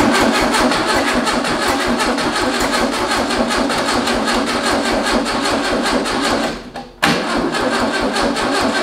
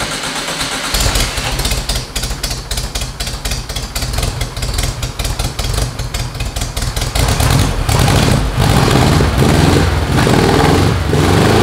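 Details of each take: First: VW-powered tracked trike, carb float bowl filled by hand and the carb leaking slightly: steady cranking that never catches and briefly drops out. The starter is failing and smoking; timing also seems off, with backfiring through the carburetor. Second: VW air-cooled engine on a custom tracked trike, first start after fueling, carbureted: catches after a short crank and settles into a steady, even chug with a few throttle blips. Runs healthy.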